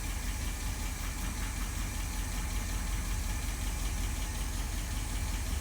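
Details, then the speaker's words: Newly rebuilt Holley 1273-1 carburetor, cold start: fires right up, steady even idle with low rumble, no misses or stumbles, some other minor noises remain; carb running great, normal idle. "You can hear a little bit of stuff going on, but the carb, she is done and running great."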